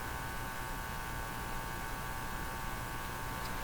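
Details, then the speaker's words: Hallicrafters TW2000 communications receiver: steady low hum under faint hiss from the speaker. Owner suspects hum picked up by some antenna-like path, not the power supply; he plans to trace it stage by stage, unconfirmed. "Assume the hum is all through the radio and what's happening is the hum is impacting very sensitive circuits and that's why it's coming out of the out of the uh speaker"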